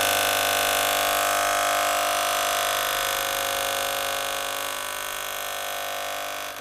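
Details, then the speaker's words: Gaggia Cubika espresso machine, element hot: loud steady pump buzz that slowly fades with no output of water or steam; priming with a syringe needs heavy force before water comes through. Cause suspected, not confirmed. "You can hear me pushing it in. It's not coming out anywhere yet though. It's taking a bit of force to push it in."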